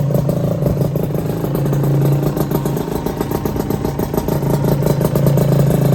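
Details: Honda LS125 two-stroke single, after full engine rebuild, cold start without choke: catches and settles into a rough, burbling idle with slightly uneven pops; normal cold idle, sounds healthy.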